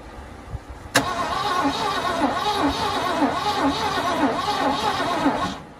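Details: 1979 Ford engine, overheated with oil suspected burned off and water boiling on the hot oil pan: steady starter churning at about two and a half beats a second, turning over but never catching, a hot crank-no-start.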